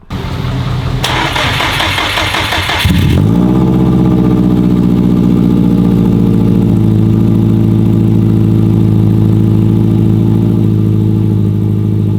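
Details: Built Subaru WRX STI first start, jump-started, after swapping the fuel line to fix a no-start: a brief crank, then it catches and settles into a steady, even idle with no misses or knocks.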